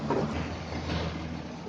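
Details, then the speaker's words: New air cooler after balancing its fan blade: steady, even fan hum with no flapping or rumble; normal smooth running after the vibration fix. "ये देखिए बिल्कुल आवाज़ फिनिश हो गई।"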